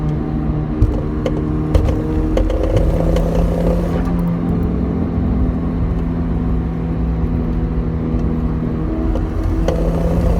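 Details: Audi A4 B7: sharp clunks as the engine revs up and settles over a steady drone; a worn transmission mount is letting the drivetrain shift.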